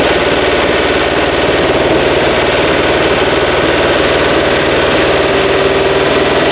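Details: Fresh 2180cc VW flat-four (92 mm thick-wall pistons, big crank) for a 1968 single cab, first-start break-in, timing being set; loud even fast-pulsing beat at steady speed, no knocks or misses; normal running.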